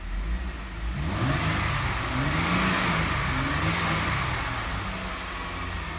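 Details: 2012 Jeep Wrangler 3.6 Pentastar, after a P0303 cylinder 3 misfire was repaired by replacing the broken coil connector: revs rise and settle smoothly, and the scan shows zero misfires on all six cylinders.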